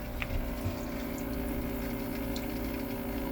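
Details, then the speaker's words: Boat raw water pump that had been air-locked and cycling off from overheating, after loosening line clamps and restarting: steady pump hum with water rushing and splashing continuously; primed, strong pressure, flowing normally. "you definitely got pressure lots of it okay now we're back on enough I'll tighten that down in a second we should be pumping out the side now"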